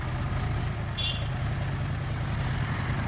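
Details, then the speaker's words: Tractor diesel after fuel pump fitting and setting, with injector pipes bled. It starts on the first crank and runs with an even, steady rumble, no knocks or misses, pulling well with good power: normal running. "One time തന്നെ first round തന്നെ start okay ഇപ്പോ നല്ല pulling നല്ല power ഉണ്ട്"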